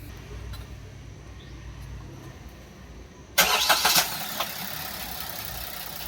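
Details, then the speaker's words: Maruti Suzuki S-Presso engine after fixing restricted airflow into the air filter: quiet, then a crisp catch and even, settled idle; the earlier odd sound is gone, healthy start. "जी हां guys बिल्कुल वो आवाज चली गई है क्योंकि यहां पे ना एयर अच्छे से नहीं जा पा रही थी एयर फिल्टर के अंदर"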